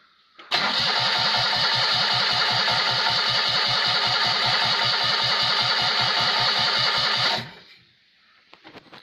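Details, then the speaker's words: Rebuilt Citroën 2CV engine converted to 652 cc, rejetted Solex twin-choke carburettor, no exhaust fitted, first start: starter churns evenly about seven seconds without catching; float bowl likely empty, probably slow to fire from fuel starvation. "the carburetor float bowl will be completely empty so that's probably why we're not getting an instant spark"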